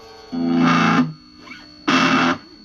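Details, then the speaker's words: Positive-ground germanium PNP Fuzz Face guitar pedal powered via a charge pump chip: thin high whistling squeal persists under the guitar chords and in pauses; the charge pump makes the pedal unusable. "yeah you hear that horrible squealing sound [Music] there's a definite squeal"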